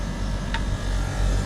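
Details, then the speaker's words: Non-branded split AC outdoor unit with a replaced compressor, near the end of gas charging, amperage now correct and heating well: a steady, even low hum with no knocks or rattles. Normal running. "तो इसके ampere भी अब ठीक आ गए हैं और रात भी हो गई है हमें और गैस भी इसकी पूरी हो गई है"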